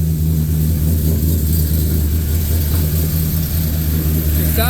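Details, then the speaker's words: Freshly rebuilt truck engine with long-tube headers, cold air intake, Truck Norris cam, DOD and cat delete, untuned: strong deep note with slightly lumpy pulse, no knocks or ticks; runs with oil pressure, normal rev. "good definitely got to have it tuned but it's running got oil pressure"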